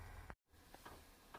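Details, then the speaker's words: Webasto Airtop 2000 air heater in a ProMaster van priming during first start attempts: faint soft ticks of the dosing fuel pump over a low blower hum as the fuel filter fills. "I don't know if you hear that knocking but we're starting and stopping this thing a few times and you can probably see on here the the fuel filter's getting more and more full"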